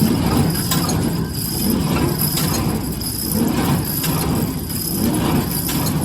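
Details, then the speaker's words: New Holland 311 square baler after replacing feeder tine bearing caps and adjusting binding: steady low mechanical churn with a slow even beat around 36 per minute, no rubbing or wobble; normal running. "Okay, that's a wrap. I think we got it, and it's running pretty smooth."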